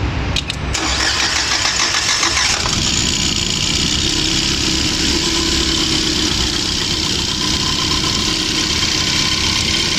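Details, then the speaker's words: BAIC BJ40L 4-cylinder petrol engine cranks, catches, then runs with an uneven lumpy idle as cylinder 4 still misfires after plug replacement, coil check and injector work; suspected valve problem, head opened next. "अभी भी मिसिंग है। चार वाला काम नहीं कर रहा।"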